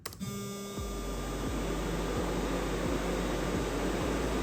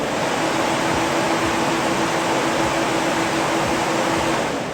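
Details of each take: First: Electric radiator fans (SPAL) driven by a solid state relay at 80% duty cycle (slow speed) while PWM frequency is being tuned: steady low hum with faint pulsing beat, no grinding or rattle; normal fan running, humming attributed to frequency setting. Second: SPAL electric radiator fans driven through a Haltech solid state relay for soft start and variable speed, switched on in a test: loud rush of air with a steady mid-pitched hum; owner suspects the PWM frequency (initially 200) is off, not confirmed.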